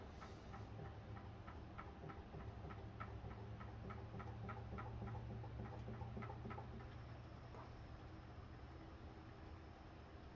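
Crisp, regular ticking at about three per second over a soft hum; the pulse motor is running evenly and at a healthy speed.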